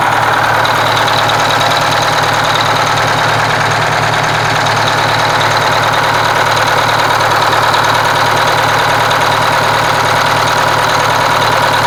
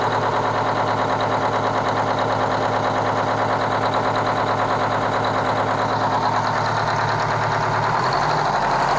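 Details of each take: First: Kenworth cabover diesel after fuel pump and injector work, run with the valve cover off: even, steady idle with a regular firing beat and no missing pulses. The repaired cylinder seemed to pick up once fueled, and all cylinders sound like they now pull evenly. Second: Kenworth cabover diesel truck with a fuel problem: loping, uneven idle at roughly three pulses a second; one cylinder isn't firing cleanly, and the owner judges the third cylinder back on one side needs an injector, with an air leak also to find.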